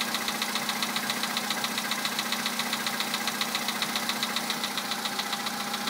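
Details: VW Polo sedan 2011, 64,000 km, Liqui Moly Molygen 5W-40 changed 200 km ago, 98 petrol, +2°C outside: sharp, even ticking about 2.5 per second over steady cold idle; persistent knock of unknown origin.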